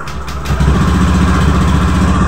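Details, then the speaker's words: Honda Beat FI v2 scooter after replacing the loose crankcase bearing: starts and settles into an even, steady idle with the CVT-side rattle gone. "11.9 natin tumahimik na yung yung gilid natin wala ng try natin i- natin bago na yung ano natin bago na yung ating bearing"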